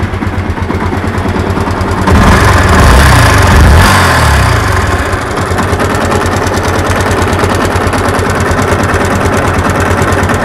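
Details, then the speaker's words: Yamaha MX King 150cc single-cylinder running with coarse rattling clatter that grows on throttle blips; rough internal engine noise, suspected in the upper cylinder head area, not confirmed before teardown. "jadi bunyi kasarnya seperti itu dan untuk penyakit seperti ini yang pastinya untuk penyakitnya sudah bagian mesin"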